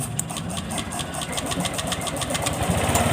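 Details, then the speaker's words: Honda Click 125 scooter with a stuck throttle, after cleaning the rusted, stiff throttle linkage: engine pulses quickly and evenly at a raised speed without settling; idle stays high, throttle sensor checked next. "ทำเรียบร้อยแล้วเนี่ยก็ยังไม่หายนะครับเมื่อกี้ยังเร่งอยู่เลยนะผม"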